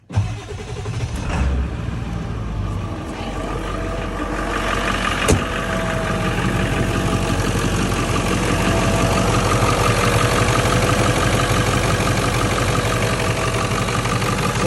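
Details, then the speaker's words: 1997 Ford F-350 7.3L Powerstroke diesel, about 164,000 miles, warm idle: intermittent light rattle-knock over the diesel clatter, about three a second, suspected rod knock, flywheel or water pump; found to be a failed belt tensioner pulley bearing. "it warms up a little bit you'll start to hear it almost sounds like a rod knock but it's intermittent almost sounds like it could be the flywheel water pump"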